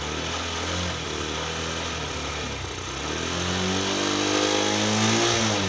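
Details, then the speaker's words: Honda Shine 125 BS6 with a hard cold start despite good fuel pressure, injector spray, timing and spark plug: single-cylinder putter rises and falls cleanly with throttle blips while warmed using manual choke method; normal warm-up revving. "यह है manual चौक का तरीका चलिए फिर से एक बार चिए य देख गर्म कीजिए पहले गरम कीजिए पूरा कीजिए"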